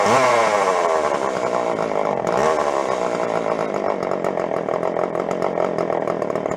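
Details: Jonsered 510 yard-sale chainsaw, neglected, first run during revival before carb tuning: revs rise and fall unevenly, pitch wandering, never settling to clean idle; rough, unsteady running.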